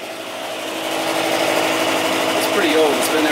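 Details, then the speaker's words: Boiler power vent fan motor, outside, with fumes leaking from unsealed breech: steady hum with uneven wavering tone and faint rattle, not sounding good and reportedly shutting off; motor to be oiled; rough-running fan motor. "Yeah, that power vent is not sounding too good, is it? Listen to it."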